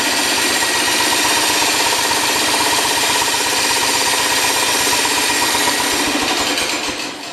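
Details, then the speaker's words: 1971 John Deere 140 H3 garden tractor idling after carburetor install: loud harsh rapid clatter, about four knocks a second, constant; source somewhere up front, cause unclear. "no idea what that atrocious noise is i'm sure i know what it is it's up in the front"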